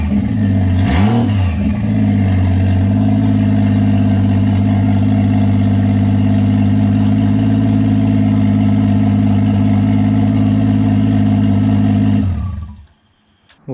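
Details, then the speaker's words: BMW E36 with swapped Toyota 1JZ, first start after confirming 25 psi oil pressure (earlier starts ran without oil pressure): catches quickly with one short rev, smooth even idle ten seconds, clean shutoff; normal start and idle, no apparent damage. "it's going to be more excited that the 1j runs and it sounds good it doesn't really sound like i damaged anything but only time will tell"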